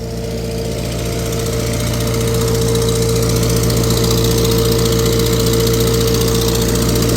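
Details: Tractor on PTO dyno under load, exhaust manifold cracked and previously JB-welded: fast regular ticking puff about four per second over the running note; exhaust manifold crack leak.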